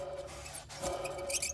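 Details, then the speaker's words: Worn alternator bearing on a Jeep/Dodge 3.7 V6 or 4.7 V8, belt removed and alternator pulley spun by hand: thin scratchy squeaking over a low rough rumble; alternator is bad and gets replaced. "You can hear it squeaking. You can hear it rumbling. You know, that alternator is definitely bad."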